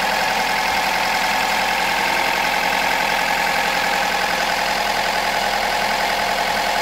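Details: 2006 Mazda 3, first start after an owner engine rebuild; steady even hum with a light regular patter and no knocks or misses; the engine settles into a smooth, healthy run.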